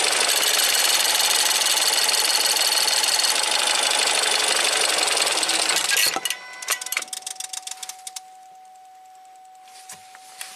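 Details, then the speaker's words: Ford EcoBoost van with P0106 MAP performance code, idle vacuum reading abnormal: loud high-pitched chatter then sharp metallic bell-like tick about four times a second at idle; owner suspects the high-pressure fuel pump, unconfirmed. "I don't like it that it's ringing like that"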